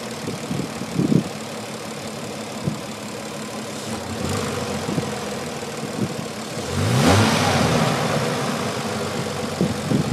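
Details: Petrol engine idling and revving with faint top-end lifter ticking, much quieter than before after an oil change with a quart of ATF added.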